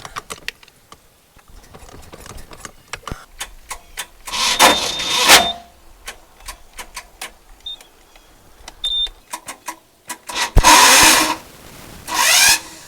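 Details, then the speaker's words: Glastron-Carlson CVX23 boat engine on water hose, sharp clicks then two harsh grinding bursts as the starter tries to engage; owner suspects a bad tooth on the flywheel, not confirmed. "I think I have a bad tooth on the flywheel."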